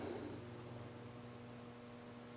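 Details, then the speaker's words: Electric fan that had started running slow, then stopped: steady low electrical hum with no blade whoosh, motor powered but stalled, blades only trying to turn; cause not confirmed. "you hear it humming and if you look at it it's just the Blade's trying to"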